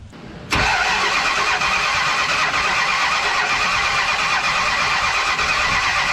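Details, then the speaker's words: 1970 Dodge Charger V8 with 950 Holley 3-barrel carburetor, first start after sitting months: catches into a loud, uneven idle while the carb floods fuel out the back; rough start, carburetor to be pulled apart. "Well, that wasn't, what the hell guys, you didn't tell me that it was shooting gas out of the back?"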